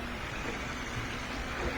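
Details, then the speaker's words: Whirlpool direct-drive washer being repaired for a won't-drain problem. The inlet valves open and let water in from house pressure for the rinse, giving a steady soft hiss over a low hum with no chatter or hammering. Normal water fill. "You can hear it. So these valves are opening up. Lets water come in from the house pressure. Valves open up, water comes in."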